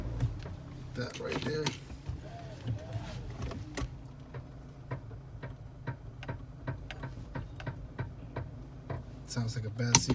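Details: 2011-2014 Hyundai Sonata/Kia Optima driving; a light, sharp tick repeats about twice a second over low road rumble, believed to be a bad CV axle needing replacement, though not confirmed; car still runs and drives well.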